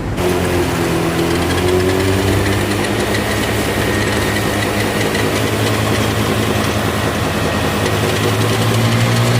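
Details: Honda Beat scooter CVT final-drive gearbox: steady high whine over even idle; on teardown gears were worn from oil starvation, likely from a leaking wheel-shaft seal letting oil into the rear drum.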